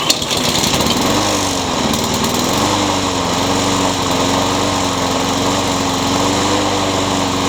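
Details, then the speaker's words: Craftsman mower with a Honda engine that surged before; cleaning the carburetor didn't fix it. After fitting a new carburetor it fires straight up into a steady, high drone with no hunting and runs like new. Owner suspects an unbalanced blade causes vibration. "the carburetor and it runs like new"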